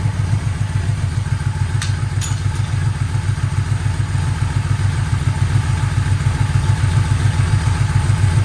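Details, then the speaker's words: 1985 Yamaha Vmax V4 first start after rebuilt carburettors, new plug leads, coils, V-boost manifolds, carb boots, repaired tank, new fuel filter and plugs, air filter off: low even burble steady at about 850 rpm, no misses or knocks; healthy idle. "this bike always loved idling about 850 revs just used to sit there mopping over just like now"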